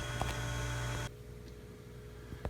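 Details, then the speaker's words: Philco stereophonic suitcase record player, small tube amplifier: steady deep low-pitched mains hum for about a second, then cuts off; blamed on a failed electrolytic capacitor, amplifier needs recapping. "got a really loud hum coming out of snake get this open now inside here is a little tube amplifier and this the home is coming from this electrolytic capacitor right here is shot"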